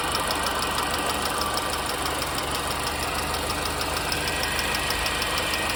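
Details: R53 MINI Cooper: light, sharp tick about three a second over steady idle, top-end sounding, source not yet traced; engine ticking at idle.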